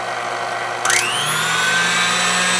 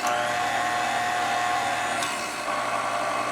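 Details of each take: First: Older KitchenAid mixer running on low after a grease repair, with the owner having feared a fried motor. It spins up with a rising whine, then settles into a hum with a coarse, slightly uneven buzz; still rough, as the new grease has yet to work through. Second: Older KitchenAid mixer on the lower gear after a grease repair. A steady motor whine rides over an even gear hum that shifts slightly midway, with no grinding or knocking; it doesn't sound bad.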